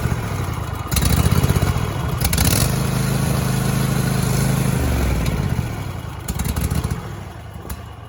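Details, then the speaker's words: Cub Cadet XT2 SLX tractor with Kohler KT735 engine, started after throttle cable replacement, throttle at half: brief crank, then catches with an uneven, lumpy low chug and no steady beat; rough running right after start, cause unconfirmed. "Okay, so it didn't sound all that great, but it"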